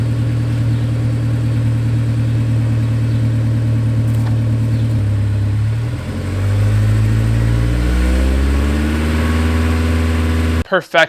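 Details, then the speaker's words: Honda S2000 (AP1) four-cylinder after replacing the entire fuel rail assembly with injectors to cure a misfire: even, steady idle with no stumble, smooth rev and settle; misfire gone. "misfire is gone i don't have to hear it i don't worry about the car"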